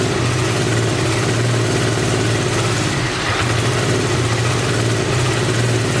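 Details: 1986 Honda VT500 Shadow V-twin, revived after years sitting, idling while warming up: low steady idle with slightly lumpy uneven beat; rear cylinder not firing, owner suspects ignition coil or mice-eaten coil wire, checking spark.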